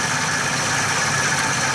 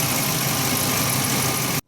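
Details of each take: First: 2011 Ford E350 van, constant front-engine noise mostly at idle, owner feared cam phaser or timing chain; steady whirring hiss with faint high tones from belt drive, traced by stethoscope to worn idler pulley and tensioner with very old worn belt. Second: 2011 Ford E350 van after replacing the serpentine belt, idler pulley and tensioner: a steady, even idle with no chirp, squeal or rattle from the front belt drive, not the suspected cam phasers, then it cuts off.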